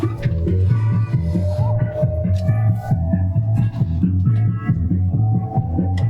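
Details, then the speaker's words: JBL EON 515XT powered speaker playing music: thumping, boomy bass with the treble completely missing, treble control has no effect; only the bass speaker works, horn/tweeter or its amp channel dead. "I can tell you only the bass speaker is working"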